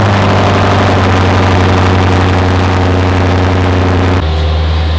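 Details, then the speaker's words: Lexus RC F 5.0 V8, 45,000 miles, cold start in the garage with the exhaust valves open, before an oil change: deep, steady, even burble at fast cold idle, no knocks or ticks; healthy. "Let's have the valves open and close garage, cold start. Ignore my mess."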